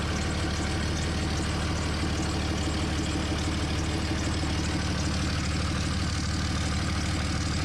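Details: 2003 Dodge Ram 5.9 Cummins diesel after HY35W turbo replacement, first start: deep steady idle, even low clatter about three per second, no misses or surging; healthy.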